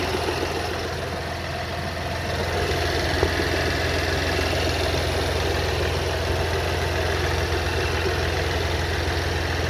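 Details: BMW X1 F48 xDrive 25e, 125 HP B38 three-cylinder, cold idle: dull non-metallic knocking from back of engine, about three to four per second, loud inside too, quieter as engine warms; cause unknown.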